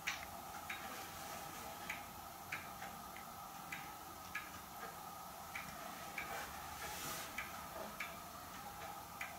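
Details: Hermle weight-driven grandfather clock movement on a homemade test stand (Ford F350 rotor-disc base, 2x4 post), just levelled, pendulum fitted: soft, light, even ticks with no skips or stalls; normal ticking, running in beat.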